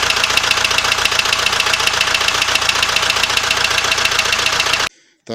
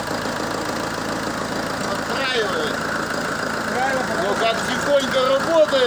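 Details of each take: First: ZMZ 514 Euro 2 turbo diesel with sensors disconnected, idling with a sharp regular knock, about four hits a second, over harsh clatter; knock blamed on con rods by others but owner says it was not the rods. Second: ZMZ 514 Euro 2 turbodiesel after engine knock repair with cylinder head refitted: steady, even diesel idle with smooth low clatter and no heavy knock; normal running.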